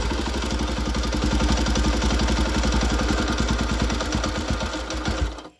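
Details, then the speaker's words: Honda CB-type single-cylinder motorcycle (GL/Tiger/Megapro family) at idle: fast, light clatter of three or four ticks a second from the cylinder head; suspected loose rocker adjusting screws giving excess valve clearance. "Nah, oke teman-teman sudah mendengarkan suaranya ya. Nah, kondisi yang semacam ini ya, mesin yang bersuara seperti ini biasanya itu kendor pada pelatuk klep ya, yaitu baut setelannya klep itu biasanya itu terlalu kekendoran sehingga pelatuk membukanya terlalu lebar ya,"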